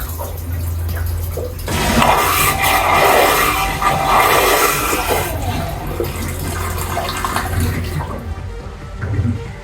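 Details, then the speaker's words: Aquila 32 Sport boat's automated marine toilet in the starboard wet head, economy flush mode: short pump hum then steady rush of water for several seconds tapering off cleanly; normal economy flush. "I'm going to go ahead and show you what the economy looks like so as I press that let's take a look at the toilet"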